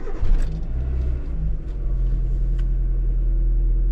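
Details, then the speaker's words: Cold-weather start after about 5,000 km on the oil, which looks due for change; belt was noted as noisy beforehand. Engine catches and settles into a steady, even low rumble with no squeal or knock: normal cold start idle. "네. 시동 뭐 엔진 소리 아주 좋고요."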